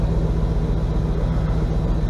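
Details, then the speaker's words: 1977 GMC Sierra K25 with swapped-in 2002 5.3L V8, SM465 4-speed, NP208 transfer case, driven about 3 months: steady, even low rumble at idle with no misses, knocks or ticks; runs really well. "Okay. Runs really well. No issues with it at all."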